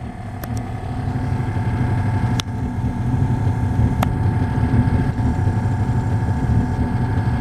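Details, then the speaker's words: 1999 Lincoln Navigator air suspension after replacing a leaking rear air spring: compressor's steady motor hum builds and holds even, no knocking or rattle, as it cycles to fill the new bag; normal compressor operation. "as you can hear it's cycling feeling up the air system"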